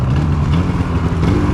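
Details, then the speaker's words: 2016 Polaris Indy 600 SP two-stroke snowmobile after cleaning power valves, replacing clogged fuel filter and adjusting belt deflection; deep steady roar at full throttle without stumbling or bogging, 65.93 mph eighth mile, previously limited to 6,500 rpm; healthy full-throttle run. "8th mile 65.9 3 mph that ain't bad that ain't bad well I'd say she's working quite a bit better"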